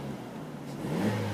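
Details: Vauxhall Astra, about 68,645 miles on the clock, revving: engine note climbs smoothly with no rattle or knock. A brief rattle occurs only at start-up, suspected to be the exhaust.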